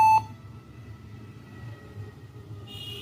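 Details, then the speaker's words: Dell laptop gives a continuous high beep on power-on through boot to Windows over quiet room hum; faulty or stuck keyboard triggering the warning, striking the keyboard stops it. "जब भी इसको हम on कर रहे हैं तो इसमें continue beep की आवाज है"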